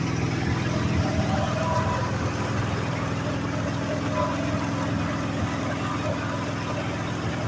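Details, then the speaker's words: 1965 Ford F-250 pickup, carb with manual choke, just restarted after sitting five years: low, slightly lumpy idle with an uneven, wandering beat; carb issues suspected, not confirmed. "okay hold there carb issues have been sitting [ __ ] many years as you expect right go ahead"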